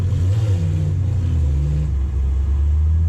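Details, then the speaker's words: Toyota 3UZ V8 4x4 while driving, with temperature and oil pressure normal. Deep rumble with an uneven, stumbling beat that was not there before; misfire. Owner suspects a spark plug toasted from overfueling, not confirmed. "I can hear it missing, which it wasn't doing, but I would think it's dead more than..."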